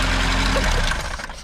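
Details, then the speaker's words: Lada VAZ 2103 after running at 120 km/h; fast metallic rattle from the engine bay when slowing down that fades as revs drop, fine above about 2,500 rpm; broken timing chain tensioner suspected, chain slack. "then we started to slow down a bit and we hear the really weird noise that isn't supposed to come from the engine bay lovely rattle"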